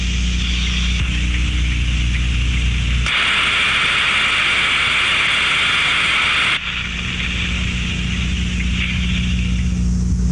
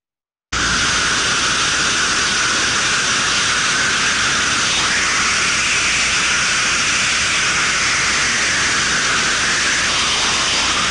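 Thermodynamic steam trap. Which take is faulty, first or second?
second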